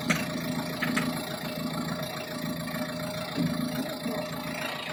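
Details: Diesel at idle with a rough clatter and occasional sharper knocks over a steady low drone. The engine knock is of unknown origin.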